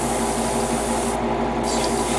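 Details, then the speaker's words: Airbrush spraying paint on a Bandai HG 1/60 Arbalest model: a rough, bubbly, gargling sputter instead of a clean spray; the owner suspects something happened to the nozzle, unconfirmed. "I've already sprayed the other parts, and I'm also having some problem with my airbrush now, and I don't know why. It's coming out. I'm hearing a lot of gargling."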